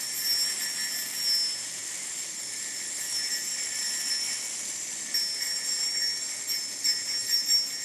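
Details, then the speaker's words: Crucial Confection yo-yo with slightly loud bearing: high bearing whir, then a fine buzzing rattle on the fingernail test, showing a medium amount of vibe, not enough to affect play. "hear that like vibrating almost rattling sound that's that's Vibe I would say this yo-yo has you know a medium amount of vibe certainly nothing to affect play"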